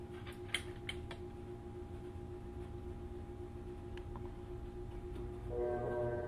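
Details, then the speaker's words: GE GTW500ASNWS 4.6 cu ft impeller top-load washer under test: water supply turned on, but the inlet valve solenoids hum with a few clicks and no water flows, so the washer does not fill. "sure sounds like the solenoids are running trying to put water in but the water is turned on"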